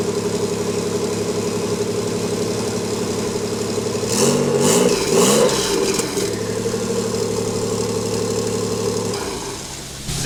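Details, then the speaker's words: Engine-only first start after flywheel and clutch install, no downpipe, exhaust or transmission fitted: raw, loud idle firing steady and even with a brief blip around four seconds; engine running healthy. "I wanna let you guys listen to it run with no down pipe no exhaust no trans just the engine"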